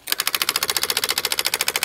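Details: Excavator that would not crank: fast, sharp metallic clicking, about thirteen per second for two seconds with no cranking; starter solenoid chattering.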